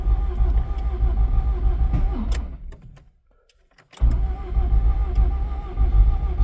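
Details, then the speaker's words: Honda Accord CB9 with freshly swapped F20B engine, ECU just flashed, clutch switch jumpered: starter cranks steadily, pauses, cranks again, never catches, and the tachometer doesn't move; owner suspects no spark. Cause suspected, not confirmed. "I just don't see the tachometer moving, which is one indication of maybe no spark."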